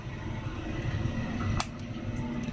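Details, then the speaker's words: 1962 Powermatic 90 lathe's original three-phase motor, removed from belts, fed single-phase on L1 and L2 without capacitor: low steady buzz, no spin-up, stalled until wound by hand. "it doesn't start right away, but I can hear it buzzing."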